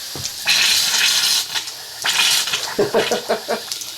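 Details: Water heater refilled after a breaker replacement: irregular hissing spurts and sputters as trapped air purges from the upstairs faucet after the water is turned back on; no leaks found, mostly air coming out, a good sign.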